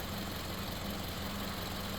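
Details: Toyota switched from 0W20 to 5W30; steady low idle hum under heavy hiss, no knocks, ticks or stumbles, healthy normal idle.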